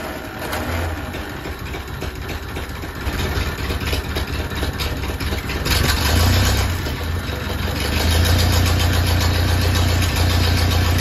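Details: Ferguson T20 tractor, abandoned barn find, started after oil pressure priming and new oil following an earlier backfire: cranks, catches and settles into a steady, even chuff of about four beats a second; running cleanly.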